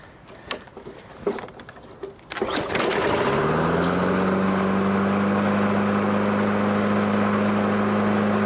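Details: 2003 Toro 20017 mower after swapping the original Tecumseh LEV120 for a 2006 LV195EA and bending the governor tab for tension: pull start catches at once into a steady, even single-cylinder drone with no surging.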